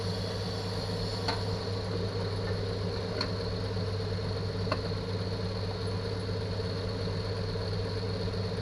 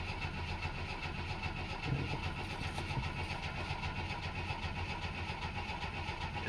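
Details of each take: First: 1964 Chevy II six-cylinder, sat for years, smokes a little after first revival: steady low, even hum with no knocks or misses, smooth regular idle; normal idle. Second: 1964 Chevy II with points ignition, oil pressure confirmed while cranking: steady uneven starter cranking with no cylinder catching; a coil-wire screwdriver test shows no spark, traced to burnt points.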